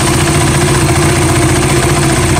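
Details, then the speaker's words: KTM Duke single-cylinder idling after service replaced worn intake camshaft and rocker arm that caused ticking: steady even low thump, no clear valvetrain tick; problem about 90% resolved, harshness from mic sensitivity. "so now I will turn on the engine and I will show you that the problem is 90% resolved"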